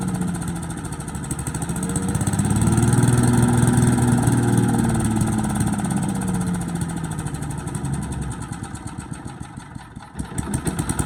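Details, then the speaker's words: Boland's 3.5 chipper shredder, stored under a tarp in a backyard for 10 to 20 years, started on choke after reassembly with hopper and tank: small single pops about four times a second, swells up and settles back; runs fine, and it shreds. "The chipper that sat in Dad's backyard for probably 20 years. Well, I know at least 10 for sure. It runs, it shreds stuff."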